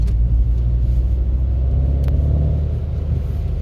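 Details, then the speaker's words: Seat Leon Cupra R 2.0 TFSI 265 PS on a test drive after its cylinder 4 injector misfire was fixed, boost suspected just over 2 bar: a deep, strong rumble builds smoothly under hard acceleration with no stumble or miss. Normal acceleration. "Der zieht aber richtig brutal."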